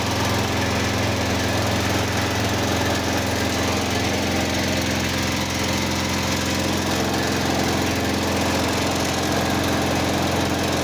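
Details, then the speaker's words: Simplicity 4212 lawn tractor restoration, first start after engine work: uneven, loping running instead of a clean steady idle. Carburetor issue suspected, not confirmed. "She That sounds good actually. If it stays running for a little bit. I think something with the carbs going on or something."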